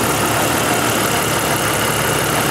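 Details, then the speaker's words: 1988 Jeep XJ 4.0 after knock repair with new rod bearings and lifters: a smooth, quiet idle with no knock, only light fast injector ticking over the hum, with a slight rolling surge in idle. "So far the welds on the exhaust are holding up, and this thing is seriously quiet."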